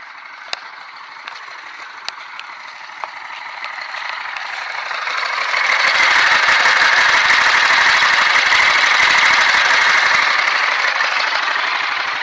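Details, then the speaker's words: BMW F 650 single, sold as having a rod knock, running warm outside: a steady light knock about three per second and a busy, chattery top end with audible timing chain; owner suspects a nicked crankshaft, not confirmed. "so I have it running outside and I do hear a bit of a knock I also for sure here the timing chain but I think we have two problems maybe the crankshaft is really a little bit a little bit nicked"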